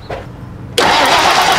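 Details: 1990 Lincoln Town Car that got a new fuel pump months earlier, back with a no-start: steady starter cranking that never catches. Spark is confirmed, but there is no fuel pressure, and power to the pump is being checked.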